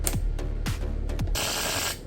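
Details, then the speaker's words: Marshall Woburn/Stanmore speaker (no battery) popping on switch-on: three heavy low thumps about every 0.6 s then a hissy crackle burst; shorting-type pops from an amplifier fault. "นะฮะเป็นงี้นะครับมีเสียงช็อตนะครับน่ากลัวอยู่"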